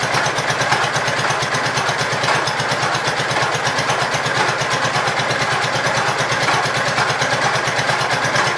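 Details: Gravely Pro 12 single-cylinder, choke on, just above idle: even thumping, steady firing without misses or knocks; deck not turning easily; running sound.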